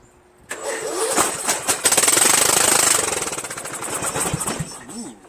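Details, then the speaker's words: Murray 14.5 42" Widebody LT lawn tractor engine started on choke with carb cleaner spray, muffler off, engine poorly mounted: catches at once, harsh very loud bark about three pops a second, then dies; missing muffler. "however you guys see that engine is not mounted on the thing very well very loud though started right up"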